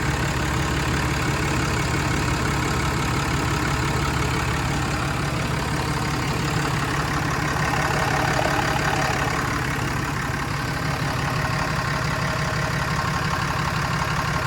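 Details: 2016 Ram 2500 diesel idling right after installing a new Fleece Cheetah turbo, with return drain tube and oil feed line, replacing the OEM turbo whose actuator acted up; oil pressure came up immediately, no leaks; steady even idle, smooth low rumble, no hiss, whistle or misses; healthy.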